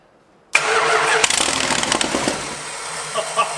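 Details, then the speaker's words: 1986 Dodge Ramcharger engine restarted after reassembly, catching after a brief crank and running loud, raspy and blatty because the exhaust is unbolted and leaking; rear wheels jacked off the ground for the test. "yes yes she's a runner it's loud because there's no bolts on that exhaust over there"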